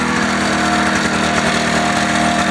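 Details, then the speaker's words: Ski-Doo Formula Plus 583 snowmobile that sat about five years, running off chainsaw gas from a can at about 50 °C: steady buzzing two-stroke note with even pitch, no misses or knocks, sounding healthy. Normal two-stroke running. "good runs great headlight at least you got a headlight sounds i mean it sounds healthy"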